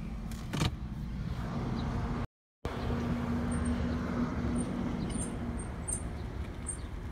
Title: 2016 Cx5 squeaking noise at low speeds